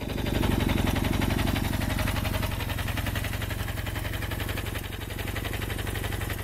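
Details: 1974 Kawasaki KZ400D1, recently serviced with carburetors rebuilt, new points and condenser, valves adjusted: steady even low putter at idle, regular firing beat around four a second, no knocks or misses; idles smoothly.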